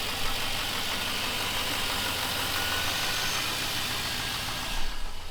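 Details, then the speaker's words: Chevrolet Silverado V8 after repair, mass air flow sensor now reconnected, started with the key from outside the truck: smooth, steady idle holding on its own with no stumble, hunting or tapping; normal idle. "Truck runs great. It's idling by itself."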